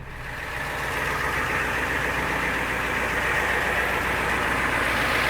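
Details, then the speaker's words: 1991 Ford Econoline 350 Class B van, 7.3 IDI diesel, naturally aspirated, unmodified, 90k miles, cold start after cycling the glow plugs with a little throttle: a smooth, even clatter at about four beats a second. A healthy idle. "The famous 7.3 IDI, naturally aspirated, no modifications. Sounds great."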